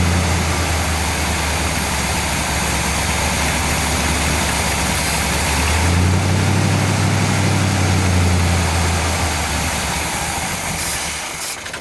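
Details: 1959 GMC pickup, 327 small-block Chevy V8, first start in 15 years, brake cleaner sprayed at the carburetor base: steady idle picks up and smooths for a few seconds, then drops back; vacuum leak at throttle shaft or base gasket, carburetor to be rebuilt.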